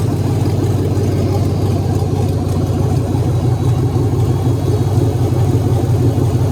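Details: E46 BMW being LS-swapped, startup after fuel pump prime and ignition check: loud, steady V8 idle with an even lope, no knocks or misses; engine running normally.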